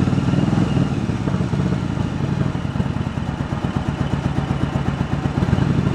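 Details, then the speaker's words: 1986 Yamaha Virago 1100, which sat about six years with fuel in it: a lumpy, uneven idle with skipped beats about four a second; the front cylinder drops out at idle but returns when revved. "So you can kind of see that you feather the one carburetor and an idle, and that cylinder, front cylinder, will come back. And you rev it up, it's there, and just not there on an idle."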